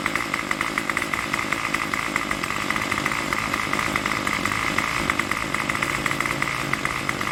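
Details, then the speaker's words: Craftsman Weedwacker trimmer 316.791191 after repair (MTD 27cc two-stroke, Zama carb), no choke: steady high idle around 2600–2700 rpm by tach, even and unbroken, with no stumbling or surging. Runs cleanly. "so it's got it got it running with no choke so it's started up runs good no choke don't need the choke it's a little bit of gas so much"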